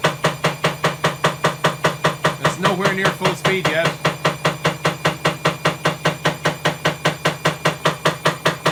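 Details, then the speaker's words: Bosch WAE24366 washing machine, also tripping the circuit breaker: loud, very regular clicking knock about two and a half times a second as the drum spins up, from a broken drum spider. "element but if you hear that clicking that's the broken spider it's pretty loud"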